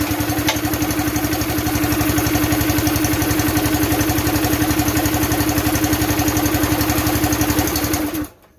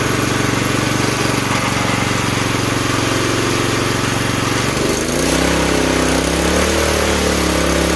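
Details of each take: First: Campbell Hausfeld CE2000 gas air compressor, 5.5 HP Honda GX160-type single-cylinder engine, throttle pulled by hand: steady fast putter at idle, then it dies abruptly when throttled up. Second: Campbell Hausfeld CE2000 gas wheelbarrow air compressor with 5.5 HP single-cylinder engine, running with the belt off; steady even pace with no misses or knocks, sounds promising and healthy.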